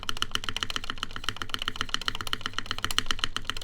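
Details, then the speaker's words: gaff.60 HHKB keyboard, aluminum plate, GMK Denim, Cherry MX Black housings with UHMWPE stems, screw-in Durock lubed stabilizers: quick uneven key clacks with hollow loose rattle on modifier keys, rattly stabilizers on one side. "But let's listen to the modifiers. Hear the mods. Oh, this is rattling. What the? It was not rattling earlier."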